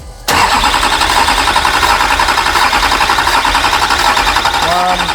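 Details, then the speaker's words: Duramax diesel bought from the U.S. (#patrol hashtag): steady fast cranking that never catches. After six and a half hours a loose injector connection was found to be keeping rail pressure too low to start; afterwards it ran on six cylinders. "six and a half hours later we found a loose injector connection we just need some rail pressure"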